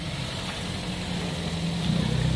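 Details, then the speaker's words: Toyota Vios after replacing both front strut rubber mounts and strut bearings for a clunk when turning; engine idling while wheel turned left and right, no clunks or knocks, noise gone. "Sige, tas mo sir. Wala na, kaliwat kanan. Tas mo. Wala na."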